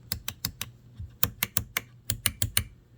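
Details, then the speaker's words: Neon, newly installed replacement window switch: crisp, clean clicks in quick irregular bursts with no grinding or crackle; switch actuating normally. "I put the new window switch in. Nice, and hear the difference."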